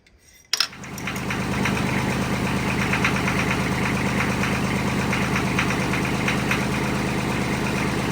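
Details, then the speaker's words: Mahindra tractor diesel at first start after reassembly: quick light tapping over a steady idle; the owner hoped a lifter just needed to pump up but thinks the valve adjustment must be rechecked. "now all that tapping noise that it was making what do you have to do to clear that I'll have to go back in and check the adjustment on the valves"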